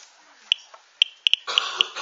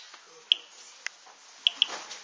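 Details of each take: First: Geiger-Müller counter tube with loudspeaker: sharp irregular clicks, about six in two seconds, faster than the natural background count, as a mildly radioactive material is held near the tube. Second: Geiger-Müller counter with loudspeaker, counter just reset, counting natural background radiation: sharp, irregular single clicks, about five in two and a half seconds over a quiet background, the normal background count.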